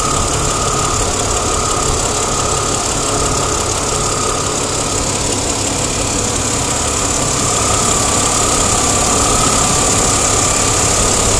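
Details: Chrysler Crossfire engine ticking at idle: a quick, fairly even tick of roughly four per second over the engine hum; cause not identified.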